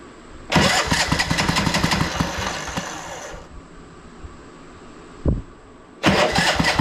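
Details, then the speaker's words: Craftsman T1200 riding mower, choke off, on a jumper pack just under 13 volts: slow, labouring cranking with heavy uneven chugs that stall and restart, drawing a lot of power; engine was hard to turn by hand, owner suspects valves, hard cranking from compression release fault. "I wonder if this thing needs a valve adjustment because it was so hard to turn earlier by hand come on getting nothing here check my jumper pack or just under 13 volts it sounds like it's taking a ton of power though a lot of draw on this so"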